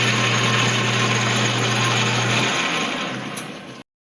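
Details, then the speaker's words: Atlas 12 lathe with gears engaged after fitting straight bushings to the change gears: steady even whir, smooth mesh, no knocking or grinding, then spins down; gear train running normally. "And we engage the gears. Here's what it sounds like."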